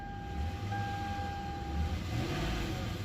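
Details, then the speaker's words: 2006 Lexus GS430 running after a no-start repair. The ST-cut relay was not passing its signal to the starter relay, so external wires were added. Low, steady idle rumble with a faint constant whine and no misses or knocks; normal idle. "तो चलता हूँ गाड़ी के अंदर, बिस्मिल्लाह, break दबाया मैंने, अल्हम्दुलिल्लाह गाड़ी स्टार्ट हो गई है, ठीक है।"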